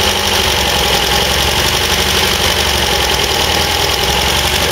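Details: MGB with twin carburettors after overhaul, warming up during mixture setup: uneven, slightly hunting idle with busy hiss, idle speed rising as it warms; lumpy idle, both carburettors a bit lean.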